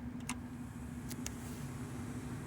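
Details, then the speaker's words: 1998 Chevy Silverado (GMT400) just after replacing the AC blower motor resistor, first fan position: a quiet, steady low hum with a couple of light clicks. The blower runs normally on low. "You can actually hear that fan right now. Okay, let's see if it increases in speed for the next setting."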